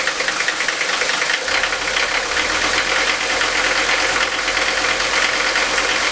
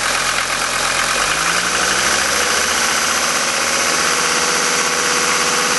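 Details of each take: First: Mercedes-Benz 5-cylinder diesel with worn injector nozzles, before Bosio nozzle replacement: runs rough at idle with a harsh rattly knock, sounding like ball bearings inside, like a GM 6.2 L; diesel injector knock. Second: Old 5-cylinder Mercedes diesel after all five injector nozzles were replaced: a completely cold start at 51°F after sitting overnight, glow plugs cycled twice. It settles into an even, smooth idle with no pinging, hammering or detonation.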